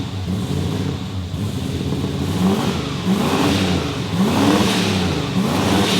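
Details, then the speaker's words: Ford Fairlane turbo V8, freshly rebuilt after a dyno failure, first start: a bit smoky on cold startup because it is still untuned; deep throaty rumble swelling through smooth revs, no knocking or rattling; normal engine start and rev. "It's a bit smoky on cold startup due to being untuned. Nonetheless, it sounds awesome, and it's time to drive it around the"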